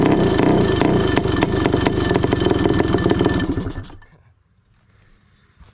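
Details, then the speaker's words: Honda CR500 two-stroke in Schwinn project bike, still being tuned: crisp, buzzy revs blip unevenly a few seconds then die away; sounded a little lean, air screw adjustment planned. "So, now that sounded a little lean."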